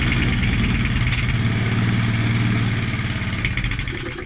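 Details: Challenge Xtreme XSS40A lawn mower that is not priming, with its oil topped up: it runs briefly at an uneven, lumpy beat, then sags and fades as it stalls. The owner suspects the 2-stroke or fuel stabiliser in the fuel; the cause is unconfirmed.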